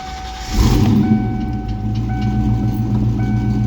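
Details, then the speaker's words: 1995 Ford Mustang GT 5.0 V8, 5-speed, after installing a new starter: short crank then catches and settles into a steady, deep, even rumble; starter engaging and turning over properly. "starter works yeah not about purchase"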